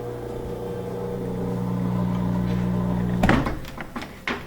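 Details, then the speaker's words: Whirlpool front-load washer with blinking door-locked light and unresponsive controls: steady low hum of the drain pump running for about three seconds, then clunks as it stops; it keeps trying to drain, possibly a blocked drain. "so we have a whirlpool front load washer getting a blinking door locked light and all the controls are non-responsive you can hear the drains active it's trying to drain so it could be that the drain's blocked"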